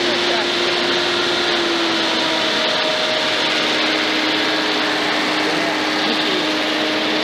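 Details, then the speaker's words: Datsun 280Z, first start in 15 years after sitting since 2005, running off a jug instead of its fuel tank: fast steady idle with airy hiss that never drops; idle too high, owner suspects rusted, frozen throttle rod linkages. "yeah the idle's too high but uh it may be just because of all the linkages all rusted up on this thing"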